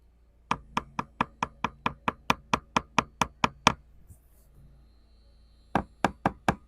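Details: 1969 Iroquois Mk2 catamaran fiberglass deck: quick sharp taps about two a second with a dull, hollow ring instead of a solid click; air between laminate and outer skin shows a delaminated core.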